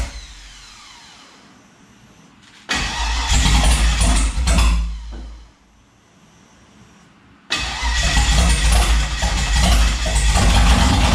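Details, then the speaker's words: Turbo 5.3 LS-swapped Mustang on a weak battery: long starter grind, then it catches and runs rough and uneven under the roar; misfire from ignition coil wiring plugged in reversed. "so the coils were just flipped yeah yeah they were just plugged in wrong that's all basically"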